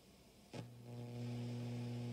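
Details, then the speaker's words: Acoustic B25 bass combo amp on a variac brought up to 106 volts: steady low buzzy hum cuts in, unrelated to volume or other knobs; fuse (315 mA) fine, source unknown, capacitor suspected. "way we'll hit 106 volts and now we're getting some noise that's not related to the volume or any of the other knobs"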